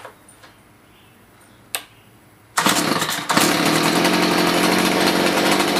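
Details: Stihl HS45 hedge trimmer two-stroke that wasn't starting, likely long stored, after carb high/low screw adjustment: a couple of pulls, then catches into a steady, even high buzz without surging; running properly, some exhaust smoke.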